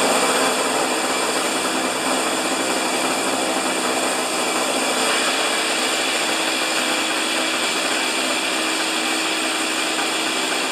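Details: Husqvarna snow thrower after governor repair, RPM set at 3800: small engine holds a steady, high, even drone with no surging or hunting; governor holding speed, normal running.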